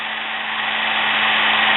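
Steady, high motor whir holding an even pitch and rising slightly in level, with no rattle or stumble; the motor runs normally.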